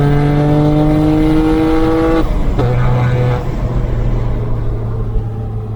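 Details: BMW 335i N54 pulling hard after a boost leak was fixed by cutting off the bad hose section and checking the wastegate arm with pressure: clean rising tone, crisp shift, reaching about 15 psi boost, consistent and healthy.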